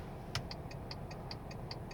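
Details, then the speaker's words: Volkswagen Touareg 7L 2.5 TDI R5 with LED indicator bulbs and no resistor fitted yet: sharp, even relay clicks about five per second, double the normal rate. This is hyperflash because the LEDs draw too little current and the car reports a bulb error. "hear the clicking noise so the relay is going twice as fast because it thinks that there's no bulb"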